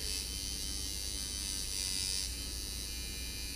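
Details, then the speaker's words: Sidewinder V2.5/V3 tattoo machine at 5.6 V with flat-spring tension backed out: fast buzzing hum with an uneven, soft-edged, mushy hit instead of a crisp one; inconsistent, so stroke adjustment is next. "well I backed it out and it's kind of mushy but you can get that to get your impact but if it seems inconsistent then you um go onto the stroke adjustment"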